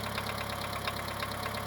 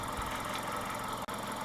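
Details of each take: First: Mitsubishi 2.0 GDI 4G94 after EGR/intake cleaning and intake refitted: smooth idle with light regular ticking keeping time with the engine until shutoff; noisy hydraulic lifters, which this engine always has. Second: Mitsubishi 2.0 GDI 4G94 four-cylinder (Shogun Pinin) after EGR/intake cleaning: low, steady idle, very low on this engine, with faint light rattle under the hum, no knock; runs much better with more airflow, healthy.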